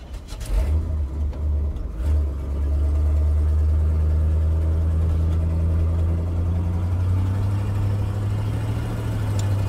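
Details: 1979 Chevy C20 big block truck, sat 10–13 years, likely 10-year-old leftover fuel blamed, gas gauge faulty; after stalling cold, cranks a few seconds, catches and settles into a low steady idle; restarts, cause not confirmed.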